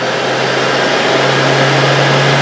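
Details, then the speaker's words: Universal motor on a trainer kit, started on single-phase AC at about 245 V and drawing about 4.6–4.95 A, turning clockwise with no load. A steady high-speed whirr over a constant hum, with no knocking or rubbing: normal no-load running. "On ಮಾಡ್ದಂಗೆ motor ಏನಾಯಿತು, ತಿರ್ಗಾ start ಆಯಿತು."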